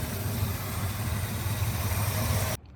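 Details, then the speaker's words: 1965 Plymouth Fury II with a 318 Poly V8 after a 4-barrel carburetor swap and coolant bleed: steady, even low rumble at idle with no misses, ticks or knocks, revs up nicely, then cuts off. Normal idle. "Seems to be running pretty freaking good. Sounds good to me. Revs up nice."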